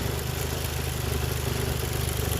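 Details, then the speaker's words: Toyota JZX110, warmed up and idling hot at just over 500 rpm: heavy, slightly loping low idle. Disconnecting the VVT-i solenoid made no change; rotating the throttle position sensor slightly corrected the hot idle revs with no missing. "just by guessing I readjusted the TPS just by rotating a little bit corrected the revs while I was on hot idle and so far so good it's staying there not missing"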